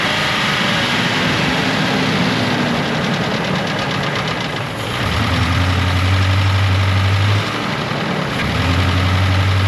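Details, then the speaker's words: Ford F150 4.6 engine with a reported knocking noise and oil bottles in the bed, revved: rough, uneven note with a light rapid tick; won't rev, sounds choked, rotten-egg smell; catalytic converter suspected, not confirmed. "I'm no mechanic or anything but I think something's ticking inside that engine I'm going Revit on let's see if you can hear it"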